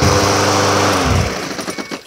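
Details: Craftsman lawn mower that vibrated badly, test run after cleaning the spark plug in gasoline and refitting it: even, steady speed with no shake or knock before winding down; engine and blade sound normal.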